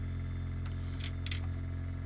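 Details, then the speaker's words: Ultra-Vac vacuum pump used for servicing an older CIC hearing aid, switched on to check it works before extracting wax; steady low electric hum, fixed motor drone, no knocking or rattle, running normally. "So put the vacuum on there. You can hear the vacuum pump there. Just check he's working,"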